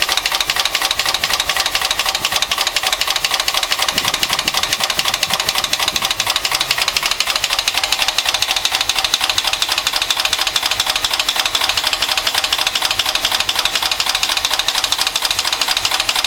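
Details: 1974 Mercedes-Benz 450SE petrol engine idling with a fast, steady, sharp knocking that ticks along with engine speed; cause unknown.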